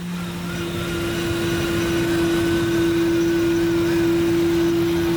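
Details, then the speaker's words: 1992 Lincoln Town Car limousine at idle after sitting abandoned for years: steady droning hum with a thin whine as the whole intake vibrates; fixed by cleaning the dirty idle air control valve, after which the noise and air-leak sound were gone. "Toujours ce bruit d'admission bizarre mais j'ai l'impression que c'est pas lié. En fait, il y a toute l'admission qui se met à vibrer."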